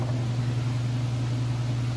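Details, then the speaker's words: Whirlpool Ultimate Care Super Capacity Plus top-load washer, full heavy load, final spin at full speed: even steady low hum, no thumping, wobble or scraping; spinning normally. "It's not off balance or wobbly or anything like that, and there's no weird noises. Those are all things you'd want to check for."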